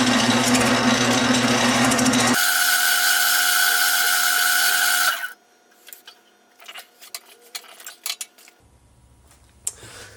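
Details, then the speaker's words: Wood lathe turning a No.6 Stanley plane knob with the free end unsupported; harsh buzzing chatter, probably from the workpiece deflecting at the end, fixed by bringing in the tailstock for rigidity. "so I had to bring the tailstock in because you could hear it kind of chattering in there probably just because it was deflecting out here on the end"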